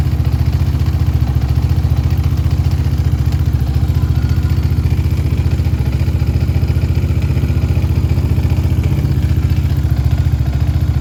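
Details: Yamaha Raptor 700R single-cylinder engine at idle: thump with a regular clattery tick on each beat; strange engine noise, cause unclear.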